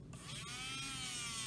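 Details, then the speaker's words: 2004 Saab 9-3 Clarion CD unit on the bench during repair for CDs not loading or ejecting, spindle motor fed 7.9 V directly with the ribbon disconnected: light, clean electric whir as the motor spins freely; working normally. "you can hear the motor spinning right so obviously that's working"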